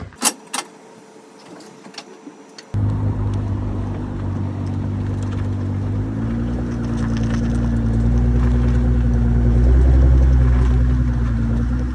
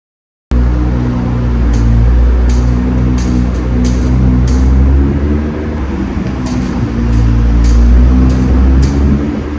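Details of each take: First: 2017 Nissan GTR after reverting a half-inch-thick setup to stock and torquing lug nuts to 94 ft-lb: smooth engine drone as the car moves, no metallic clicking from the front wheel in turns; clicking fixed. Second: 2017 Nissan GT-R cornering sharply: light metallic clicks roughly every second over a deep engine rumble, caused by rust between hub and brake rotor; fixed by separating, wire-brushing and anti-seizing the hub-rotor contact.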